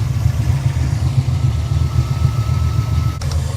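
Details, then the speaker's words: 1989 Ford Mustang GT Foxbody at idle, oil filler open: heavy, uneven rumble with irregular puffing; blow-by so severe it splattered oil over paint and under the hood. "it's so bad that it has splattered oil all over the paint all over under the hood"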